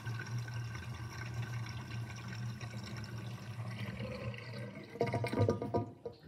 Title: Interesting kitchen sinkdrain with sinkdrainbasket with gurgling sound (2)